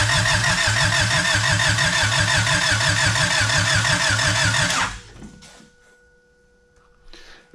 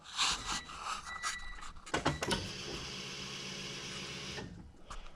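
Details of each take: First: Honda EG hatch with fresh piston rings and wet spark plugs. Even starter cranking at about three compression beats a second for five seconds, never catching: crank, no-start. Owner suspects the new rings need oil in the cylinders. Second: Honda EG hatch after the tank was drained and cleaned, with a Walbro 255 fuel pump and new fuel filter fitted. Some clatter, then a loud, steady whir for about two seconds that stops cleanly: normal fuel pump priming.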